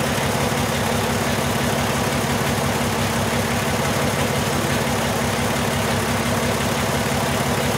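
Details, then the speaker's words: 2002 VW Jetta VR6 still misfiring after injector replacement, code P0201 cylinder 1 injector circuit: uneven loping idle with a recurring single-cylinder miss; newly fitted cylinder 1 injector found bad, its connector housing also broken. "that's exactly what he has tone you can shut this off dude this injector is bad number one"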